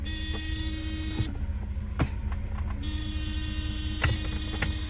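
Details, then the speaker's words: 1990 Mercedes 300E (W124) at idle: steady warning buzzer cuts out about a second and a half then returns, coming on intermittently when the brake is pressed; cause unknown. "the next one is when I hit the Brak for whatever reason my buzzer coming on every so often anybody else have this issue"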